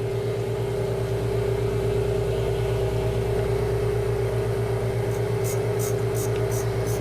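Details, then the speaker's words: Valve grinding machine, stone brought slowly in at mid-travel to the oil-lubricated valve face: a steady mid-pitched ring over the motor's low hum signals the stone has just made contact with the valve face. "you can hear and probably see that it's actually started to make contact"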